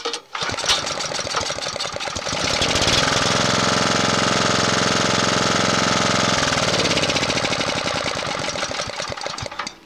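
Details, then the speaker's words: Honda GX240 that was surging, after re-cleaning the carburetor's idle-circuit passages and jets. Started with the choke: the engine catches, revs briefly, then settles into a steady, even idle with no surging. The idle screw now adjusts properly. "going to call that good for now maybe we'll put on something and run it someday but it's not surging and that screw does work now"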